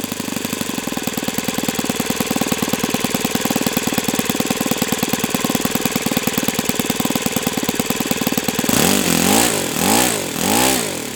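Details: O.S. FS-91S II four-stroke glow engine on test stand, first run: crisp, even rapid firing with a steady beat at idle, then clean quick throttle blips. Owner says it feels freer at operating temperature; normal running.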